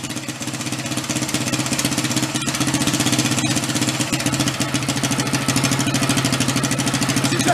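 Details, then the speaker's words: Lawn mower engine fitted in a 1965 Chevy Monza go-kart, first start with some choke and a little throttle: settles into an even, steady idle with no misses or knocks; running smooth and healthy. "pretty good huh pretty even awesome"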